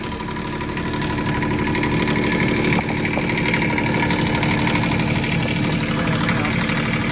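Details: Develon excavator diesel at steady, even idle after oil leak repair, with a constant hum and no knocks or misses; engine healthy and no longer leaking.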